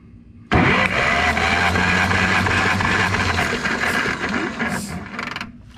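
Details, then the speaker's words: Ferguson TO20 tractor engine cranking during a compression test, all cylinders reading about 115–120 psi. The starter churns at an even beat near three pulses a second with each stroke alike; compression is healthy and the valves are sealing. "so all of them are right at that 115 to 120 one-ish mark on the compression so that makes me feel really good we don't have anything to be worried about there we know our valves are sealing when we've got good compression like that"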